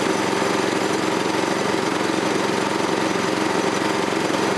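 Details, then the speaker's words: Troy-Bilt tiller with 6.5 HP 212cc Predator engine after fitting a new spark plug, not yet fully tightened: even, fairly quiet putter about three beats a second with no misses or knocks; normal running. "It's running though. Sounds good. Fairly quiet. Doesn't sound different from last"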